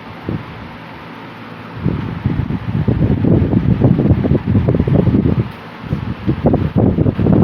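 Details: 1950s Worcester Wizard 6JC3020 20-inch box fan with sleeve bearings, before restoration, on low (close to medium speed): soft, slightly uneven air whoosh, no knocking, rubbing or rattle; normal running.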